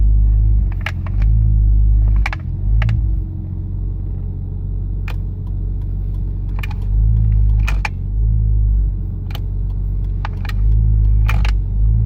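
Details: Nissan Skyline R33 GTS-T with HKB boss and OMP steering wheel: sharp light clicks at uneven intervals over steady low engine rumble; something loose clicking at the steering wheel hub.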